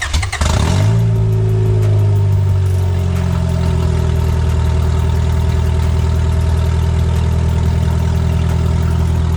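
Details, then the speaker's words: Right-hand-drive station wagon after a swap to PLM headers and a Mishimoto radiator, first start: it catches, then settles into a very loud, deep, raspy idle with a steady drone, the exhaust far too loud. "That is stupid loud. Stupid loud. Stupid loud."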